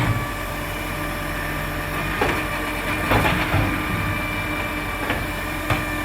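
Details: Marion garbage truck SL01300 diesel after exhaust leak repair; steady low rumble with sharp air hisses and body clanks, engine even, no exhaust ticking or puffing; normal running.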